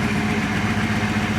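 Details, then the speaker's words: Rebuilt Porsche 928 V8 after oil change, warm after a 20–25 minute run with some hard driving: smooth, even idle with steady low rumble; previous ticking gone, occasional missed beat, exhaust not very black. "sound pretty good I think not I'm not hearing that Ticky tackling noise that I could hear before um it's pretty smooth around the bous yeah not bad"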